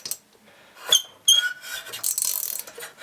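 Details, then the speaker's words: Solex moped engine binding when cranked by hand: high, dry scraping and brief tight squeals instead of a smooth turn; later found out-of-round flywheel, bad cylinder, poor decompression valve and broken fuel pump; starting problem. "if I try and crank this over with this listen there's lots of binding and scraping does that be a bearing used to have compression"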